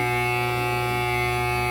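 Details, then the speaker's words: 1971 M35A2 turbo deuce-and-a-half after a fuel pump pickup tube repair: the fuel pump makes a constant fixed-pitch electric buzz while priming fuel before start, with no engine firing yet. Normal priming. "it'll take a second for the fuel to circulate all the way there she goes"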